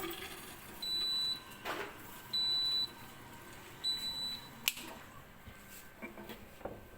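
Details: Siemens dishwasher: three short high beeps about 1.5 seconds apart at steady pitch over quiet room hum; repeated alarm beeping.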